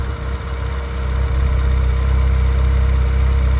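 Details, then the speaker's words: 2009 Renaultsport Twingo RS 133 with a worsening misfire; new coils didn't help. With temporary Bosch plugs fitted, once off warm-up it holds a smooth, steady idle with no stumble. Normal idle, clearly better than before. "let's let this idle sounds like it's gone off uh warm up that's definitely idling better than it was"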